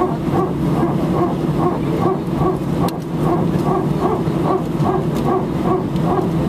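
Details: Cabin recording from seat 18F of an Air France A319 taking off from Sofia for Paris: over steady cabin rumble, a dull repetitive barking pulse about 2.5 times a second; source unknown.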